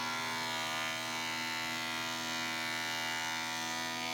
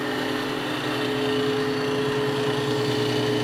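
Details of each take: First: 20-inch planer, baseline cut before spiral cutterhead upgrade, knives beyond dull; loud high hissing cut over steady motor whine dropping off as board clears, harsh ragged cut. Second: 20-inch planer just fitted with spiral carbide cutterhead, first power-on unloaded; smooth quiet whir, clean steady tone, no knocking or bearing growl, so quiet it seems off, cutterhead and feed rollers working properly.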